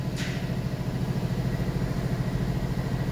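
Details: 2015 Mercedes-Benz S550 with check engine light: low idle with steady rhythmic pulsing and uneven lope about twice a second; misfire persists after sensors replaced, cause unknown, full diagnosis pending.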